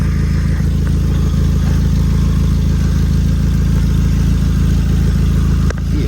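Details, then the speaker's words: 2006 Nissan Sentra before repair: a loud, rough idle puffs unevenly about twice a second from an exhaust leak at the flex/expansion joint near the center muffler. "06 Nissan Sentra Central I have Muffler over exhaust leak so this is I found some leak coming from here"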